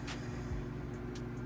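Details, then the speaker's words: Pecron E1500 Pro power station after running a microwave for one minute: a soft, steady low hum with no rattle. The cooling fan is running normally to bring the temperature back down. "after it's finished what it does is the little fan starts kicking on and it just kind of brings it back down to a regulated space and then we're good to go"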